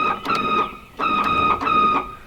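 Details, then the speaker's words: Windscreen washer pump in a 1979 VW Rabbit pickup's old bottle: three short bursts of a high buzzing whine, one per press, pump running but no fluid comes out; owner thinks it's just the motor, cause not confirmed. "Actually, I should probably show you the sound, and I think this is just the motor. Check this out. So this is the sound it makes currently,"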